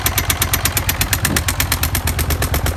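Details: Suzuki SV 400 motorcycle, about 20 km after a homemade crankshaft repair, started cold with no break-in: sharp, heavy metallic knocks about eight a second over idle; connecting rod came loose, rod knock.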